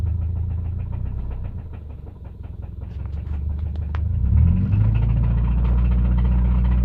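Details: 2005 Subaru naturally aspirated EJ253 flat-four at idle: a steady deep knock, about four per second; suspected connecting rod knock.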